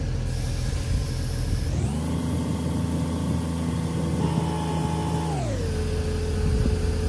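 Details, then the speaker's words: DIY Jeep JK onboard air, belt-driven compressor converted from a 2011 Jeep Liberty AC compressor, engine around 1665 rpm filling from completely flat: even, smooth hum climbing and dropping with revs; normal running. "need hear that compressor just humming this thing's filling up pretty quick"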